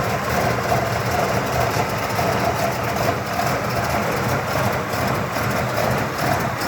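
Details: 1979 Cadillac Coupe DeVille V8 on a cold start, about 45°F after sitting two days, idles with an uneven, lumpy beat and wavering loudness that smooths out once warm; happens only when the car is good and cold, cause unknown.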